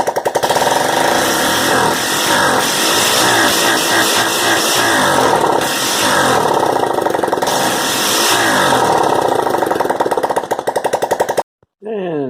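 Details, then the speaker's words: 1986 Honda Fourtrax 125 single, first run after top-end rebuild with lapped valves and new gaskets, exhaust pipe removed: loud sharp popping, revs rising and falling steadily, no knocks, burning off assembly lube; engine healthy, normal running. "8000 exhaust no pipe let's fire her up oh yeah getting rid of all that assembly lube from putting her together"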